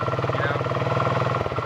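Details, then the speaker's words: Chinese GY6 49cc four-stroke scooter, stock exhaust with holes drilled in it; steady even low putter with a slightly open exhaust note, no misfires: normal idle. "It's pretty restrictive at stock, so I would, definitely open up that exhaust a bit. It's not much louder,"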